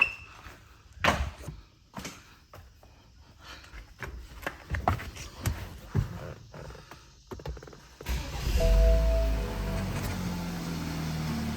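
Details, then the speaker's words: 2013 BMW 328i xDrive F30 started after replacing the dropped exhaust fixing bow: handling thuds, then an even idle with no exhaust rattle, confirming the fix. "you go guys i don't hear any rattling noise okay so that fix our problem in the rattling noise"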